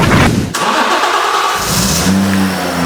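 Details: BMW Z4 M after fuel pump system rewiring, where the relay wires had been swapped negative for positive: starter cranks briefly, engine catches and settles into a steady, even low idle drone; starts normally.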